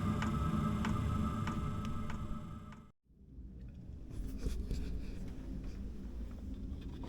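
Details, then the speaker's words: Inexpensive diesel heater in quiet mode warming a small shed workshop, about 5 minutes after startup: a steady ticking from the fuel pump about every half second over a soft hum. It is slightly quieter than at startup, but louder than expected. "it has diminished a little bit from when it first started up as far as the the level of the ticking you know how loud it is but uh I was under the assumption that that fuel pump would be quiet"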